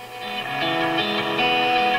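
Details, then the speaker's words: Marconi 201A AM/shortwave radio tuned to 1250 AM: guitar music comes through clean and full with no hum, crackle or fading, good dial accuracy and volume; normal AM reception. "And Okay, so that's AM, 1250 AM. Dial accuracy is good. Listen, the sound's good."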